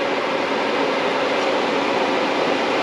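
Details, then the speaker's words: 1995 CD5 Accord with H22 swap, tucked radiator and homemade fan shroud, fan run by shorting its connector: smooth, even whoosh at constant speed with no rattle, ticking or wobble; cooling fan runs healthy. "Let's try if the fan will work by shorting the connector. Let's give it a try."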